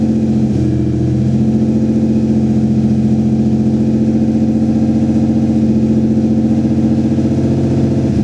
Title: strange engine sound vg30dett